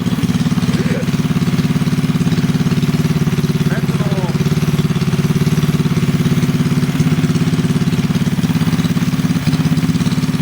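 Small single runs at a quick, steady idle with an even exhaust beat and no knocks or rattles; sounds healthy.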